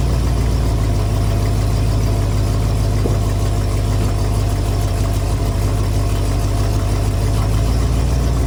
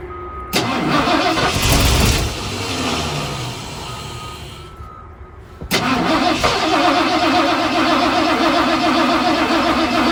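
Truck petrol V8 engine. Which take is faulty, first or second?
second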